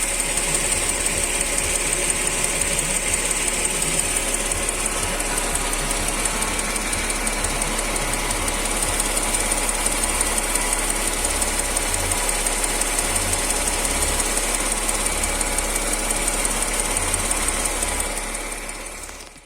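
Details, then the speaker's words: Mercedes M112 engine, hot idle: steady quick ringing ticking knock, three or four per second, heard clearly at the exhaust pipe; absent when cold; appeared suddenly; cause not yet found. "на холодную сразу нету как бы все цокает блинова так на горячую отчетливо слышно хорошо в трубу"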